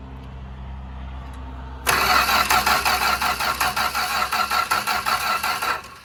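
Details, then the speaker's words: 1965 Plymouth Barracuda slant 6, parked since 1994, after new points, rotor and cap with spark confirmed and starting fluid sprayed into the carburetor: starter spins the engine steadily about four seconds without firing; crank, no start. "Nope, still nothing. Sounds like it's just not firing."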